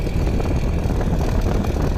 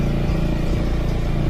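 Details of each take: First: Yamaha Xmax scooter, 14,000 km: engine normal until torque is applied, then a busy metallic rattle at about four a second; suspected loose plate bolt holding the camshaft in the cylinder head. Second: Yamaha Xmax scooter at 14,000 km running unloaded: even, low-pitched running with a steady pulse and no rattle, which sounds normal; a rattle appears under torque, suspected from a loose head plate bolt holding the camshaft.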